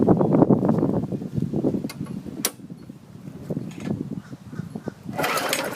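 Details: 2012 Murray 500 series 158cc mower, dry tank refilled with fresh fuel and primed: a few chugs as it catches, then sputters out; good compression, likely needs carb clean and new diaphragm.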